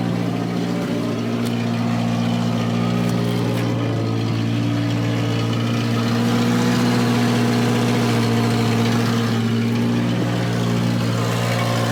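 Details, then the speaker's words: Volvo 240 warming up at idle in cold weather: steady, even hum that stays noticeably fast and doesn't settle; chronically high idle, cause not confirmed; a blown top cam seal is also leaking oil. "All right, so we've got consistently, chronically high idle, and we have a very blown out top cam seal, which the good news is it's the top seal."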